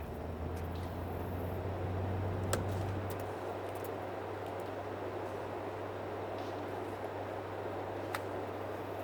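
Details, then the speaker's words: Air conditioner being put back together from scrap, washed off, now running: steady low compressor hum under even fan rush with fan turned up, no rattles or surging; blowing nice and cool, normal running. "every bill nice and cool you hear the compressor running turn the fan up"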